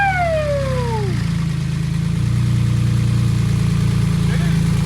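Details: Wrecked Porsche 911 Turbo flat-six, first start after clearing oil hydrolock from pistons: starter whine drops away within a second, engine catches and settles into steady even rumbling idle with heavy smoke from the oil; engine is good.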